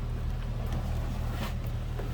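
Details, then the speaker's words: 1999 Jeep Wrangler Sport 4x4 with the 4.0-liter six and an automatic transmission, at idle on a stock exhaust. A quiet, even low rumble with faint background clicks and no misses. Sounds stock and steady. "Sounds pretty stock. Slip around the back seat here, around here. No crazy exhaust, anything like that."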